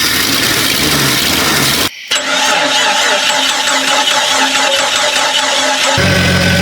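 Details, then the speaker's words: Rebuilt Jeep Cherokee 4.0 first start-up in a field, fuel held by bungee cord: engine catches, runs unevenly a few seconds, then quits; starts but won't keep running. "It quit running. >> Huh? >> It quit. >> Quit recording or running? >> Running."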